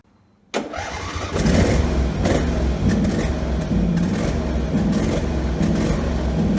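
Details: Husqvarna 48 GLS lawn tractor, engine previously racing out of control; running on the remaining high-speed governor spring, engine fires and settles to an even steady speed without hunting. It surged later, the spring being inappropriate; idle screw set minimum speed.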